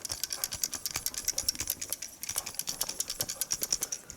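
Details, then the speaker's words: 10-year-old hard drive from a Synology DS415+ NAS shaken by hand: light, irregular ticking rattle about three times a second; read/write head suspected loose, not held parked, unconfirmed. "so yeah i'm guessing what's rattling is the uh read write header that's like bouncing back and forth even though it should be in its parked position"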